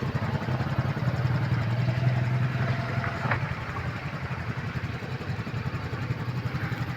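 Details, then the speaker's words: Yamaha scooter driven through flood water, won't start normally; kick-started, engine idles low and rough with an uneven putter of three to four beats a second after flood water was sucked into the carburetor through the wet air filter. "So pagkabaha huwag niyong i-try ilusong yung scooter niyo dahil pag nangalahati yan dito dito mahihigop ng karburador yung tubig pupunta doon sa karburador."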